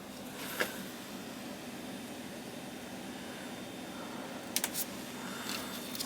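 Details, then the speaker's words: Furnace/HVAC unit reported squealing from vents, running with heat and fan on and fresh-air damper open; smooth steady airflow rush with no whistle or squeal, normal blower operation. "I'm kind of losing my hearing, but I don't think it's that bad. I don't hear anything out of the ordinary. I do not hear anything out of the ordinary here."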